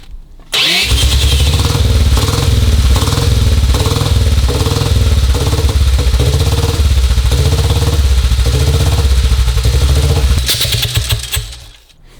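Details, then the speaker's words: 1952 BSA M21 single, just started after a wire fault was found: catches, then thumps unevenly at about four beats a second, coughing and backfiring back through the carburettor as it cuts out. Ignition timing over-advanced, firing too close to top dead centre. "You can hear it's coughing back through the carburetor. And what, when it cuts out? Yeah, it's caught, it's backfired and fired the engine back"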